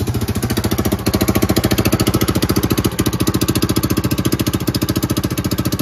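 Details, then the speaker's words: Coleman UT400 utility vehicle suddenly running much louder than normal after a drive to the barn; sharp, even, raspy puffing beat about three or four a second from the exhaust, traced to a leaking exhaust manifold. "he's a little bit louder than he normally is got to look around to see what i can figure out"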